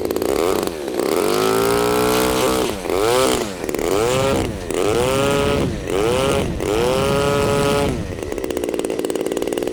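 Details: New Turnigy TP-series RC gas two-stroke with a Walbro carb and CDI ignition on a 2S LiPo, hand-started cold: it pops on choke, then fires straight up with choke off and holds a clean rising buzz through repeated blips, dropping back evenly; it runs healthy.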